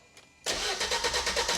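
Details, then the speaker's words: Crash-damaged salvage diesel van, long stood, fault message to check AdBlue system; starter cranks fast with a steady pulse about eight times a second but never fires; crank no-start, lack of compression suspected, not confirmed. "just send it [Music] mate cranking quite fast sounds all"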